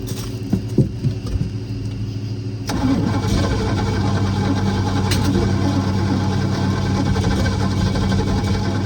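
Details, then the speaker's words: Boat engine started for the first time in 21 years with a borrowed HEI distributor and some choke: uneven cranking with a few sputters, then it catches into a rough, steady run; owner unsure whether it is getting enough fuel. "i don't know if we're not getting enough fuel or what let's try it"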